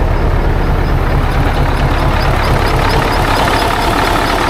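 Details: 1980 Peterbilt 359 with 3408 Caterpillar diesel: deep, steady idle with a light airy whistle on top. It is just the turbo, not an air leak; the air system isn't building pressure.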